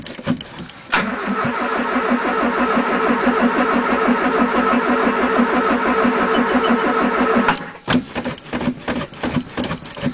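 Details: 1980 Triumph Spitfire 1500 with Weber two-barrel, cold start on a freezing December day after pumping the throttle, weakening battery: steady starter whirr, about three cranking pulses a second for over six seconds without catching; long cold crank.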